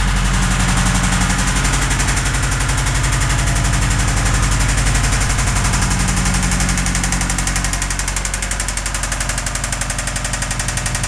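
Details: 2005 Subaru WRX at idle: sharp, evenly spaced knock about four times a second keeping pace with the engine; rod knock from a worn rod bearing.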